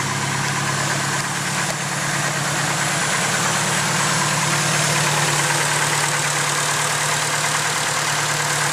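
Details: Fully built engine, a few months after the build: steady idle with a light, fairly regular tick about two per second; owner suspects lifter tick, unconfirmed.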